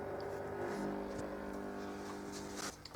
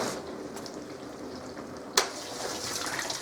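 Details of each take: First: Zanussi ZDT5152 dishwasher on Bio program: fills with water, then only a steady low faint vibrating electrical hum with no program progress; the owners had mice; cause not confirmed. Low hum at start. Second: Zanussi ZDT5152 dishwasher after repair of a low hum at startup. After a click, water swishes and splashes steadily over a soft pump hum as the circulation pump and spray arms work; the normal wash cycle before heating.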